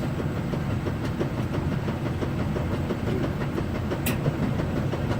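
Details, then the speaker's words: GE gas dryer with the gas valve just kicked on and ignition following: steady low tumbling rumble with soft loose thumps about once a second, no scraping or squeal; running normally. "Okay, the gas valve just kicked on. Let's watch. So just like the electric dryer, it spins, it spins, it spins."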